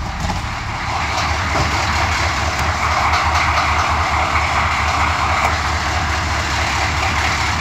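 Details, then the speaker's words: Suburban 6.2 diesel after cold start, small oil and coolant leaks noted: steady, even diesel clatter at idle with firm low rumble, no knocks or misses; runs like a top, healthy. "runs like a top wish I had more of them"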